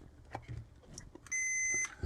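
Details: Replacement tactile keypad switch on a Lyman 1200 digital powder system, tested with a multimeter on continuity: a single clean steady high-pitched beep of about half a second on each press; switches work, the old ones damaged by superglue.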